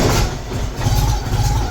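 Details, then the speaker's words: MGB, first start after rewiring the ignition system: deep, somewhat uneven low rumble of the four-cylinder catching and holding, running on its own again; owner remarks it sounds weird. "Oh, hey, it's here. That's why it sounds so weird. Yes! It runs, baby."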